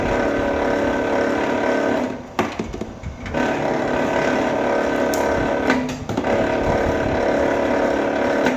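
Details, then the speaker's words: Vevor wire stripper feeding cable: uneven rapid chatter about four hits a second over the machine hum, meaning the blade is set too tight; fix by moving to the next hole or adjusting spring tension. "when you hear that chatter you know you're you're a little tight so you need to move it over to the next hole or adjust your uh adjust your spring tension up and down"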